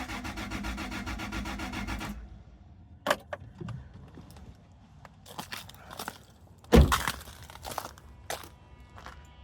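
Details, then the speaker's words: First-gen Toyota Tacoma, pump supposedly primed: the starter cranks at an even rhythm for two seconds without a cough or sputter; no fuel is coming out of the fuel lines, so there is no fuel delivery. "today, like you can hear, it's just turning over, but it's not even sputtering. So, clearly, it's not getting fuel."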